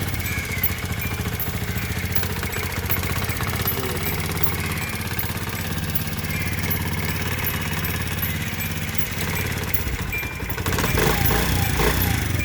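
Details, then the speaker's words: 2022 Honda CD 70 motorcycle, about one month old, after roughly 100–200 km: steady fast ticking about three or four per second over uneven idle; valves/tappets loosen when new and need tightening, normally done at 500–1000 km service. "ये तकरीबन 100 200 kilometre चलने के बाद इसके जो वाल होते हैं वो लूज हो जाते हैं और उनको फिर जो है टाइट करवाना पड़ता है"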